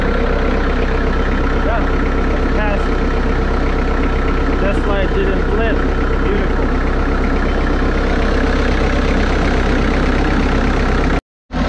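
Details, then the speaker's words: Bobcat wheeled skid steer loader diesel, idling after starter circuit voltage drop testing for intermittent starter engagement: deep, steady diesel clatter, even idle about four beats a second, no misses or knocks; normal idle. "okay well Machine runs great"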